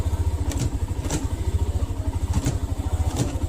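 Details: Hero Xtreme 125R, tappets recently set, on road after stand removed: under a low pulsing single-cylinder thump come loose clacks about every second, noticed when releasing the clutch; gap from worn rear hub cush (coupling) rubbers, replaced at service.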